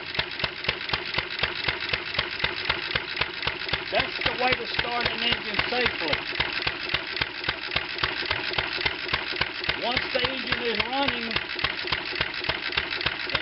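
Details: 1920 International Type M kerosene/gas antique engine, hand-started with weak magneto; quick popping exhaust beat near 220/min, slightly ragged, hot at head exhaust; timing checked correct, so worn valves/seats suspected.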